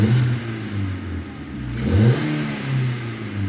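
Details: Hyundai i10 small petrol engine revving up and settling back smoothly without misses or stumbles, checked again for misfire after water was found in cylinder 3.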